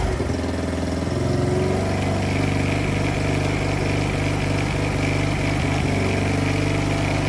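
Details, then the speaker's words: Polaris Outlaw 50 kids' ATV after a thumb-to-twist throttle conversion, started with key on and brake squeezed: small engine holds a steady, flat idle and won't rev; owner suspects the throttle setup makes it think it's throttled, upsetting the timing. "okay so now it won't rev if you guys heard that so now it thinks that it can that the thr's been you hear that so messes up the timing"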